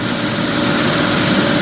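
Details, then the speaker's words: 1997 Mitsubishi Mirage LS coupe 1.8 L 4G93, after adjusting the mechanical valve lash to cure valve noise: steady, even idle hum with no top-end ticking or tapping; engine sounds normal. "sounds just about as boring as it used to so that's the good news"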